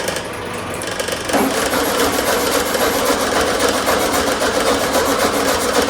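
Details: 1972 VW Super Beetle air-cooled engine, long stored, during no-start troubleshooting: steady fast starter churn, about three to four turns a second, never catches. It cranks but won't start after they check whether the carburetor squirts fuel.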